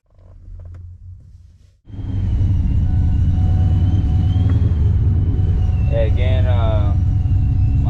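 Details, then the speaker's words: Procharged supercharged Ford Mustang Mach 1, very cold start: idle rises and sags every few seconds, surging and running very rich; owner suspects bypass valve setting. "yeah as you can tell the idle is [Music] surging right now it's very cold"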